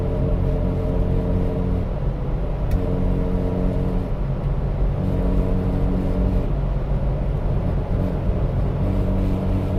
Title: 1995 Jeep ZJ Buzzing Sound at Highway Speeds